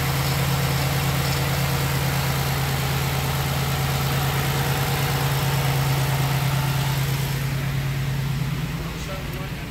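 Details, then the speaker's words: 2006 Pontiac Grand Prix base V6 idling after top swap with new exhaust valve seals while bleeding air from cooling system; steady, even low hum, no misses, knocks or stumbles – healthy, heater hot, no black smoke. "nice and healthy though nice and smooth to add a little more coolant"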